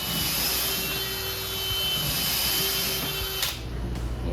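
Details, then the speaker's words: DeWalt 20V XR brushless 3-speed hammer drill switched back from hammer to regular drill mode: smooth, steady high-pitched motor whine with no hammering pulses, then spin-down; normal drilling. "We're going to go ahead and put it back into regular mode, not hammering anymore."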